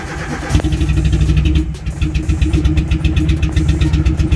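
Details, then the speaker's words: Nissan Platina / Renault Clio 2 K4M engine on start: catches, then idle lurches and pulses unevenly, nearly stalling unless throttle is held for about 15 seconds and still unstable; misfire from failing ignition coil, fuel pump confirmed working. "fault the fault that you could observe is that the car is very unstable It even turns off so that the car is maintained we have to keep the car accelerating"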